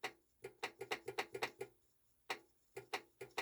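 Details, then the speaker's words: Technics SL-D202 turntable, auto-return/stop: sharp irregular clicks in quick bursts as the solenoid fires, but the arm doesn't move. Auto-return solenoid not working. "I think I can hear it firing, but it's not doing anything. So, we'll check that out as well."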